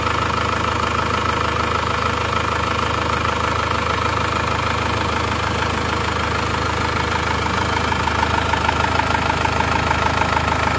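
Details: Diesel engine (Plat K) after repair of a defective cylinder head that pushed compression into the coolant, overheating it and draining the radiator; no thermostat fitted, leak test shows no bubbles: steady, even idle clatter, no misses, hunting or knock; healthy idle.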